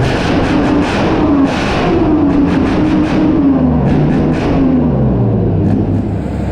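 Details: Replacement engine for a Chieftain tank, first test run out of the vehicle: deep, steady drone at even pitch with no knocks or misses, rising smoothly as it revs; idles beautifully, healthy engine.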